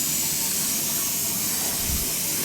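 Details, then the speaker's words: Newly installed gas boiler with three circulator zones filling before purging: a steady high rushing hiss of water with no spurting or dripping; a normal fill, no leaks. "Well, I don't have any leaks. Let it fill and make sure I got no leaks for us before I start getting too crazy here."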